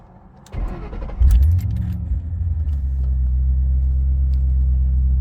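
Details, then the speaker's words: 2009 Mustang GT 4.6 V8, 98,901 miles, new cams with about 500 break-in miles, lifter tap fixed: crank, quick catch and flare, then smooth, even idle with no ticking or knocking; sounds like a new engine. "all right so I'm gonna go ahead and show you guys how it sounds now it sounds like a new engine so put the key in"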